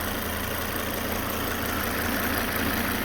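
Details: Car engine idling with the auxiliary belt disconnected, while tracing a loud noise later found to be a failing alternator. Quiet, even idle with a soft steady hum and no squeal, rattle or grinding; with the belt off it sounds normal.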